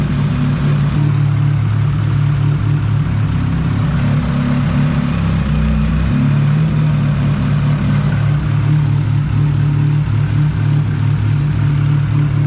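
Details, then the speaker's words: All-motor LSV-swapped Civic EF hatch at idle before timing check: low, steady, smooth idle with no stumble or knock; timing locked at 16 degrees, distributor found bad. "all right so we got the car idling pretty good right now"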